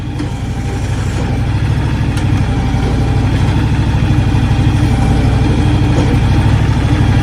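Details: John Deere X724 tractor with 54-inch snow blower fitted: steady, even low putter with no misses, knocks or surging; idling smoothly and healthy.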